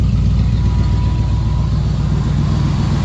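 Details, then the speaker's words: Small-block Chevy with a big cam, after a carburetor swap and vacuum leak fixes, idle originally set high. An even, steady rumble with a regular beat and no stumble, sitting a touch above normal speed. Slightly high idle. "Just a tad bit high. [Music] Sounds good to me."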